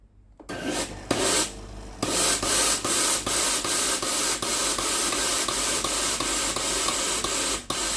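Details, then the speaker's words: Tefal GV9820 steam iron being tested for fault where steam stops and loud ticking starts after 10–30 minutes: steady steam hiss with quick even ticks, solenoid water valve working normally at this point. "ไอ้น้ำออกปกตินะครับมีเสียงเซอร์นอยวาล์วทำงานปกติ"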